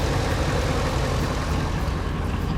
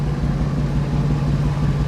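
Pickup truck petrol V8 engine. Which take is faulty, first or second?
second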